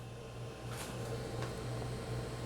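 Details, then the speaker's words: Creality Ender 3 Pro 3D printer after upgrade to a 4.2.7 motherboard and BL Touch: motors move with no audible whine or stepping, only a steady fan hum and faint whir; quiet, normal operation. "can't hear it at all just hear the fans"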